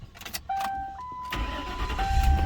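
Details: Lincoln Town Car (Panther platform) with an intermittent no-crank no-start, suspected loose transmission wire, fixed by rocking the car until it clicks. Light clicks and a steady chime, then a brief crank and a clean catch into smooth idle. Starting normally.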